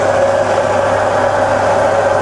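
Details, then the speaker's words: Bridgeport milling machine converted to 240V single phase, variable-speed head: steady, even mid-pitched hum with no knocks, rattles or wavering as the spindle runs through about 500, 1000 and 2000 rpm forward and reverse. "just going up and down the spindle range just to let you hear it running that's really about 500 rpm that's a thousand and that's up to two thousand and in reverse now 2000 down to a small sensible 1000 and back down to 500."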